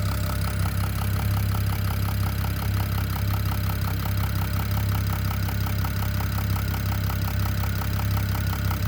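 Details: BMW E92 335i (N54 engine) at even idle with a crisp repeating knock near three per second, constant with no throttle change; the owner suspects the top end, and the cause is unknown.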